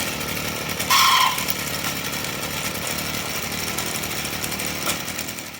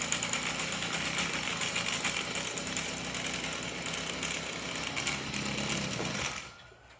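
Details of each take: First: Stihl FS38 trimmer at idle: buzzy two-stroke idle with a short, sharp high squeal on top; the clutch drum bushing was found dry and needed grease. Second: Stihl FS38 trimmer after greasing the dry clutch drum bushing to cure an idle squeal: a steady, high, buzzy two-stroke run with no squeal, then the engine cuts out; the trimmer sounds normal.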